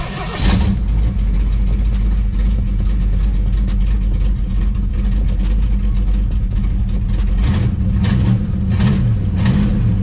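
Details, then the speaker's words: Rusty Mustang V8 after spark plug tune-up, started cold with no choke hooked up: loud, rough running with raspy puffing exhaust note from a driver's side exhaust leak. "there is an exhaust leak on this driver's side it's gonna sound kind of loud but you know you'll"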